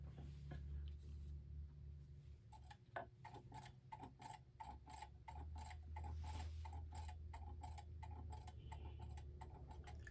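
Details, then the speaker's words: c.1960s gothic mantel clock with Urgos movement, after repair on bench: quiet ticking limps, tick and tock unevenly spaced; pendulum out of beat. "don't know if you can hear it, but it's sort of going tick- tock, tick- tock, tick- tock instead of a steady tick tock, tick- tock."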